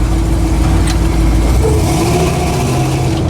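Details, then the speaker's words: 1983 Jeep CJ with Atlas 2 transfer case, test drive checking the suspect rear drive shaft with double cardan joint: steady engine and road drone with no pops or clunks; noise gone, normal driving. "That's why you always double check. Yep. Noise is gone. It's the rear drive shaft."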